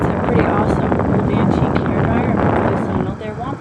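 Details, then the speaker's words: 1950s Knapp Monarch vintage hair blow dryer with worn cord, plugged in and switched on: a steady airy rush with a low motor hum, even and unbroken; the motor spins up and runs normally. "okay so i just turned it on and hopefully you can hear that noise so again it does work"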